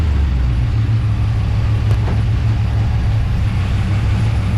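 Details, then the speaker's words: Oldsmobile Cutlass V8 with carburetor AVS door adjusted for bog and copper distributor advance springs, timing retarded after spark knock, now about 25–26° at idle and 38° total: a low, even rumble at about 800 rpm with a regular beat and no pinging. "okay so what I have is about 25 or 26 at idle and um I have 38 total which makes sense with the Copper Springs"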